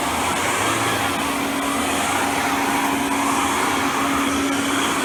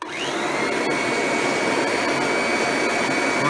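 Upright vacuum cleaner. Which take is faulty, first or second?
second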